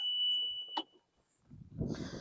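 A steady high-pitched beep holds for under a second, then stops as the cart starts rolling; the reverse warning beeper is working normally.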